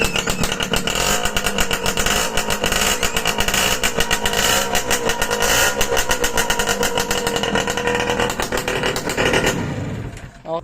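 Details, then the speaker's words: Suzuki X4 motorcycle under restoration with harness fitted, in neutral: loud crisp exhaust with even firing pulses through throttle blips, picks up cleanly; normal running. "Yan, ito yung tunog niya mga kamigamiko. Neutral light. Ito kung under."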